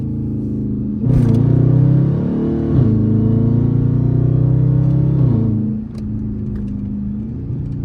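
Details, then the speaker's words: Dodge Charger R/T 5.7 V8, night drive windows up in second gear, recurring whine louder now: steady tone over V8 drone rising with revs and dropping at each shift; owner jokes it may be supercharger, source unknown. "I know y'all hear that whine, yo. What the fuck? This ain't the first time I heard this though, but it's sounding real loud right now."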